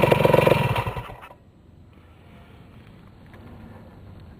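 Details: Restored 1973 Yamaha CT175 two-stroke (carburetor rebuilt, clutch repaired) on a quick start: lively crackle for a second, then soft steady idle ticking evenly; owner says it starts better than anything he has; normal two-stroke idle.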